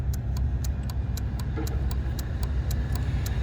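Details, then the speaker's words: 2019 Ford Flex SEL, about 18-19k miles, stranded with a suspected dead battery. Relay 77 in the fuse box, a tow/trailer battery relay though the car has no tow package, chatters about four clicks a second over a low hum. Cause not confirmed. "I'm also getting some weird clicking sound coming out of uh relay number 77 which is this one over here you can kind of hear it this one here"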